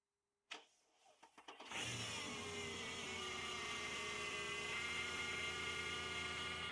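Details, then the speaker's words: Mercedes E500 V8 with 250,000 miles, started after a battery change: short crank, then an even idle with a steady high squeal-like whine from the idler pulley, which has not been replaced yet. Check engine light remains on. "The pulley is still making noise. I haven't replaced it. However, the engine runs smoothly, though the check engine light remains on."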